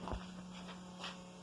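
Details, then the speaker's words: 1989 Ferrari Mondial T, fuel pump run manually via a test switch at the relay socket after installing new fuel pressure regulators: a steady low electric hum at even pitch, nothing irregular; normal fuel pump operation. "right now i've got my test switch hooked up to the fuel pump relay and i'll just manually fire the fuel pump"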